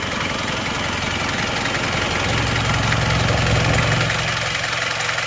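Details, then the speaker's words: 1994 2.3 diesel, normal engine never rebuilt, slight smoke, air filter humming a little: even idle clatter with a low, smooth drone and no irregular knocks; sounds healthy. "Ini mobil mesin juga normal juga. Ini mesin 23 yang juga normal, cuma ini belum turun mesin ya."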